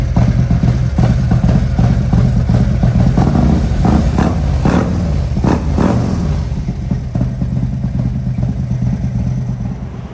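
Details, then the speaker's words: Harley-Davidson V-twin after fuel filter replacement, previously down on power: deep, loping rumble that blips up and settles back cleanly without stumbling; now quieter and clean, normal running. "so it's all buttoned up put back together now i want y'all to hear it this time quieter nice and clean"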